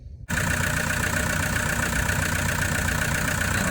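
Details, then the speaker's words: Toyota Prado 150 with 1KD-FTV diesel at idle just after an alternator replacement on a battery reading 12.18 V: it catches and settles into a steady, even clatter with no misses, knocks or whine. It is charging around 14.2 V, a normal idle. "guys, so that's all running fine. Looks like it's running fine. Sounds like it's running fine."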